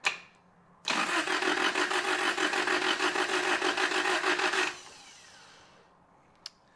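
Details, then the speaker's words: 1993 Toyota pickup 22RE, starter jumped: about four seconds of quick, even cranking that never fires; ignition timing off, distributor first turned 180 degrees then still a tooth off; cranks but won't start. "I'm gonna go ahead, I'm gonna pull the distributor out, spin it 180 degrees, and try and get this thing to fire up."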